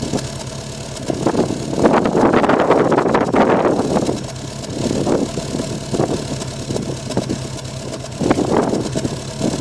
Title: Subaru rough idle on cold start